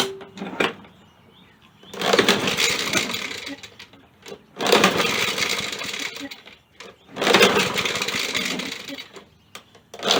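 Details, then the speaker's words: Poulan Pro mower, pull start: three slow sluggish whirrs that never fire; engine catches but won't spin fast enough because the recoil starter's spring assist mechanism guide has snapped. "i heard it catching it was trying to start but what was happening is this was failing it wasn't spinning enough getting enough momentum to crank it over it was trying just wasn't cutting it"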